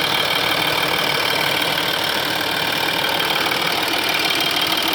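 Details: 2005 Audi A4 B7 3.0 TDI (BKN) diesel idling warm: a light, quick metallic ticking over a hissy running sound, sometimes not audible. It comes from the rear of the engine where the chain tensioners are; the owner asks if this is normal.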